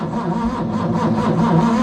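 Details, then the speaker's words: Ford Capri 3.0L V6 stored 20 years, first start attempt with primed fuel and manual choke: sluggish, labored cranking at roughly two turns a second with no firing; battery voltage dropping, not strong enough for the starter. "Dropping dropping down quite a bit. That battery starter motor. It's not picking up. Well, looks like the battery is not strong enough."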